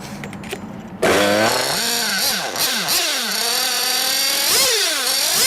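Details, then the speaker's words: 1/8 nitro buggy engine deliberately run too lean: screams to ballistic, very high rpm and the idle hangs high instead of dropping, because the engine is starved of fuel; lean mixture. "so what you have is you can hear the the ballistic RPMs and then the idle runs on because the engine is star for fuel so it won't idle right either"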